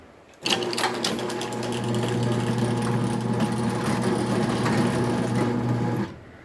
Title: Raynor 270-7 on the Mini Door